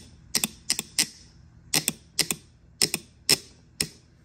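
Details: Mercedes W210 stuck in first gear: transmission solenoid, measured 3.2 ohms and within spec, energized on the bench, giving sharp metallic clicks often in quick pairs, snapping on and off cleanly; normal solenoid operation.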